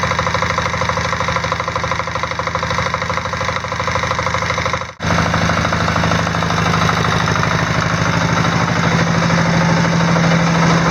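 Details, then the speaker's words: Diesel Sears off-road mudding tractor after a new alternator install (60 A per its certificate): a steady diesel idle with even, regular combustion knock and no misses. It settles smoothly under the charging load, with the battery rising from 12.4 V to about 13.1 V. "so I'm going to hit the glow plug and see if we can hear the alternator bogging the engine a little bit"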